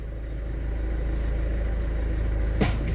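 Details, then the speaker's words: Renault Megane II at parking speed: low idle rumble, then a single sharp clunk from the front end as the steering turns while manoeuvring; persists despite replacing wishbones and shock absorbers; source unconfirmed. "e mais uma vez e isso é irritante não é uma pessoa chega no estacionamento a manobrar e a frente toda a gente ouvir aqui aos estados tal"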